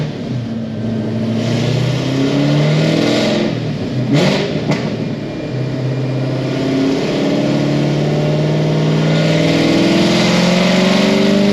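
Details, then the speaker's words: 800-mile Stage 4 6th Gen Camaro SS on the dyno; V8 pulls hard with climbing note, then briefly stutters and sags mid-pull; misfire under load, suspected cracked or bad spark plug, unconfirmed. "I let out as soon as I heard it that time. Not like a cracked plug or something, maybe? Or like a fucked up plug or something?"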